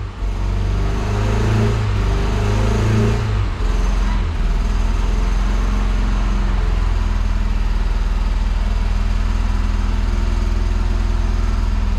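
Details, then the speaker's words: Fiat Brava parked for 23 years, now running on tank gasoline: heavy, lumpy, stumbling idle that can't hold, running on maybe two or three cylinders; injectors suspected, not confirmed. "ele não consegue manter ó galera agora ele tá funcionando aqui eu acho que em dois ou três cilindros mas tá funcionando agora com gasolina do tanque né"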